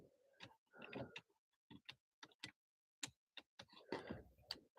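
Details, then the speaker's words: Nissan Altima power seat, engine running: uneven dry clicks about once a second from under the seat while it stays put; power reaches the slide motor but it won't move forward/back (other seat functions work), motor suspected locked up. "Now I can hear power going to it. But it sounds like it kind of sounds like the motor's locked up."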